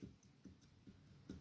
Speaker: movement that has. You can hear that. So what that means is that it's going to need new valve guides before I could even put it on the other head.